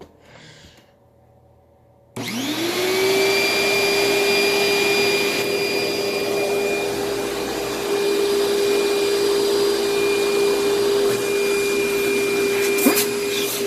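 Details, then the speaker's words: Upright bag vacuum, belt tensioned, bag about one-third full: motor spins up from silence to a steady, even whine with a clean high tone and strong airflow. Running normally with solid suction. "yes this thing works very very well the suction is solid on it"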